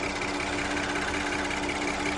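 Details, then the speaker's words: 2013 VW CC 3.6 after engine rebuild, first run, thermostat up to temperature, no leaks: fast even light ticking over a steady idle hum with no misses; purrs with slight vibration, healthy warm idle. "Oh, she purrs. There's a little bit of vibration there. It's almost like it wants to go."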